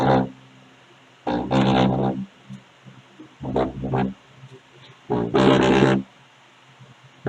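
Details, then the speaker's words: Loudspeaker box at high volume: loud bass bursts with harsh buzzy rattle on each note, not a bad speaker driver but loose cabinet woodwork, fixable at home. "aí gente isso aqui é um probleminha que dá para você mesmo resolver em casa sem precisar levar para eletrônica aí quando tá fazendo esse barulho e muita gente já acha que tá ruim e não é"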